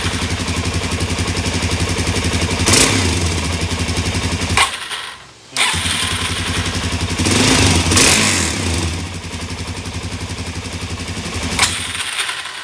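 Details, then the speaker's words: 2017 Suzuki DR-Z400S after carburetor cleaning, fuel screw set to three turns: single thumps unevenly, nearly dies then surges; detonates on throttle snap, lean on low side, slow jet cleaned but badly clogged, possibly still dirty or wrong size. "when you really snap that throttle this thing should pick right up and it's detonating so it means it's lean on the low side"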